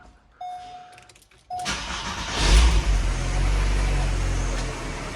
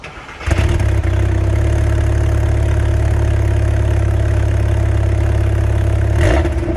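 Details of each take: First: Mk3 Volkswagen Golf started right after an oil change, in neutral: loud harsh running for about the first five seconds with oil light briefly flashing, then settles much smoother; cause unclear. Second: Mk3 Volkswagen Golf with resonator delete: engine catches, settles into a deep steady idle, then several quick blips with a loud boomy exhaust and no knocks; normal revving exhaust note.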